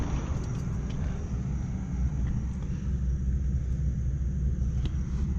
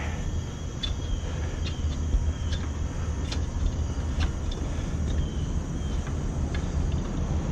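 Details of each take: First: Rooftop HVAC unit after replacing a loose, nearly broken blower motor belt: steady, even low rumble with no squeal or slapping, blower turning smoothly; normal operation. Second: Rooftop HVAC unit, loud: heavy, uneven low rumble with light slapping ticks from the blower, sounds like it's shaking; blower motor drive belt loose and worn, about to break; belt replaced afterward.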